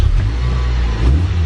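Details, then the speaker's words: B18C5 block with B16A head, ITR cams and LHT supercharger/intercooler kit, new Griptec pulleys, high compression: deep, even pull under throttle, low rumble with no knock, whine or rattle, quiet for a supercharged motor; normal engine under load. "it's quiet which is tough to do on a Supercharged motor"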